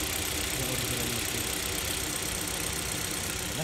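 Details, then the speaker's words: KIA hatchback petrol engine idling after the noisy alternator and the battery were replaced. It gives a quiet, steady idle with no whine or rattle; the previous noise is gone and the engine runs normally. "Okay na. Ito. Okay na. Wala na yung ingay."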